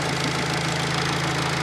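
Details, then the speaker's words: Fiat Panda 4x4 Sisley after throttle-body fuel injection conversion, cold start without choke, fuel pressure about 10-12 psi: smooth even low hum, quiet, no knocks or misses; normal idle. "um as you can hear it runs nice and quiet there's no really any noises or anything"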